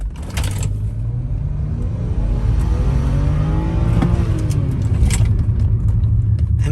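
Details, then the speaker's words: 2010 BMW 535i turbo engine revving: deep even rev climbing smoothly with faint whoosh; owner notes good boost and hears blow-off not heard before, wonders about an air leak; sounds healthy. "hey guys whatever I did man I'm getting some good boost out of it now um it's actually I could actually hear the blow off of which I didn't hear before"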